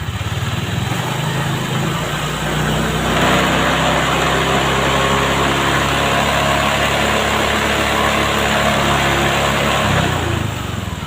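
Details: Vario 125 scooter that wouldn't take throttle, after the injection-service fix with readings set to 40: a small engine runs smooth and even, revs climb cleanly, hold, then drop back without hesitation; normal running.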